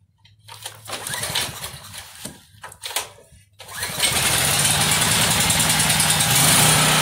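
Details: Homelite 5000 generator with a Subaru engine, restarted after sitting unused for 8 months: a few rough cranking bursts, then it catches and holds a steady, even buzzing run with no surging; running fine.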